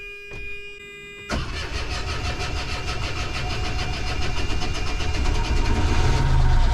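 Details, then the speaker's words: Volvo Penta boat diesel not started in a month, after new ignition switch, oil pressure sensor and alternator excitation wiring: several seconds of cranking, then catches into even idle, charging 14 V; healthy start. "That engine hasn't been started in a month. Took a bit of crank."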